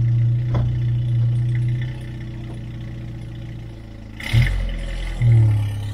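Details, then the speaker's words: 1997 Jeep Wrangler with a newly installed 2.5-inch exhaust and new muffler: engine fires, revs twice, then settles to a steady even idle with a deep exhaust note, no rattles; sounds good but louder than the old muffler. Normal exhaust note. "i can tell you it's a little bit louder than it was with the other muffler i just took off it sounds good but it's a little bit louder when i was actually hoping it might be slightly quieter"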